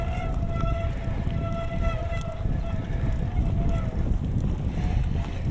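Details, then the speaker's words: Mountain bike disc brake being bedded in with rotors dressed in CRC De-squeak; brake held under rising pressure to get it very hot, squeal changes pitch, wavers and fades as it heats. The squeal is going away. "You hear it changing pitch. You hear the squealing actually starting to go away now. Getting quieter."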